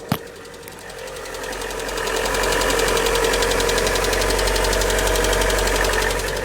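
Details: 2018 Lada Vesta 1.6 with 84,000 km, cold start at -30 to -32°C, microphone under the hood: quick, steady clatter of about four ticks a second. The owner hears hydraulic lifters, with possible piston slap and purge valve noise mixed in.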